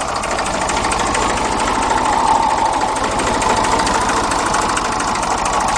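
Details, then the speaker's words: Old Ford Dexta diesel tractor, possibly 1950 or 1951, idling around 400 rpm: steady chuffing with a constant rough roar; owner says the water pump bearing has roared for a year, not leaking yet; suspected water pump bearing. "Due for a water pump bearing, I can hear it roaring. It's been roaring for a year. It don't leak yet, so."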